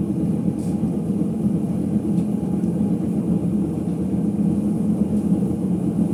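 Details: Ipso HF 65 commercial washer in final spin: continuous low, rough rumble that builds and holds as the drum spins up, from bad drum bearings.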